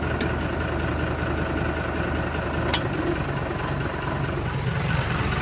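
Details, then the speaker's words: Fire-damaged Kubota M120 tractor with a new three-point lift computer, diesel idling: a click, then the drone drops and thickens as the lift arms top out. The pump dead-heads and drags the engine down; fine adjustment of the new computer was needed. "it operates now but when i raise it the arm when arms get to the top it's like the pump is dead head and the valve ain't shifting back to center open and you hear the motor start being drugged down so let me show you that"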